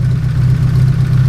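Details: Nissan SR20DET with 272 cams and Nismo motor mounts, now firing on all four cylinders after fixing a dead cylinder: steady low idle with slight lumpy cam lope, no stumble or skip; normal idle.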